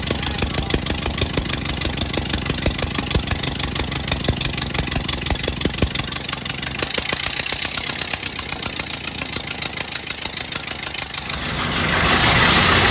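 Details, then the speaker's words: 1928 Ford Model A 201 cid flathead inline-four, first run after 17-18 years stored, choke on, timing locked slightly advanced: slow steady chuff at low idle with even firing, no knocks or misses; running healthily. "that's the first time i've ever heard this car run and my grandpa's had this thing my whole life uh i'm so excited right now"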